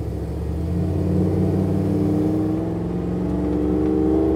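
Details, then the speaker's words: Land Rover Defender 90 soft-top with a Chevy L83 V8 swap, driving at 25 mph: off throttle it idles at 500 rpm and nearly silent, then a deep burble rises smoothly as throttle comes back on, clean pull; normal. "So I'm driving along, I'm doing 25 mile an hour, go off the accelerator. The V8 noise is gone. But we're idling at 500 RPM. So listen, we're back on."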